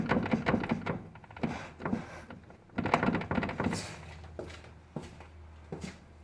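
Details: VW Passat B5+ steering with irregular dull clunks in clusters, knocking from low in the steering as the wheel is worked: steering rack knock.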